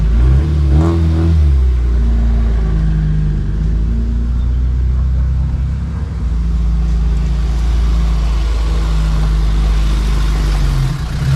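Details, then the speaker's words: Honda CRX with LS/VTEC swap and aftermarket mid pipe, after fully welding the rear muffler: deep, even exhaust drone swelling smoothly as it pulls away on the driveway, with the earlier rasp gone. Normal exhaust note. "You know, I think the raspiness was because the muffler wasn't entirely welded on. And now that it is fully welded on, the raspiness is not there."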